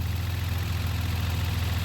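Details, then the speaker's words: 1990 Dodge Grand Caravan LE at idle, holding temperature: a fast, even rhythmic knock from a failing radiator fan that sounds like rod knock, getting quieter; engine itself runs fine; fan may need replacing. "that fan sounds like rod knock and I hate it"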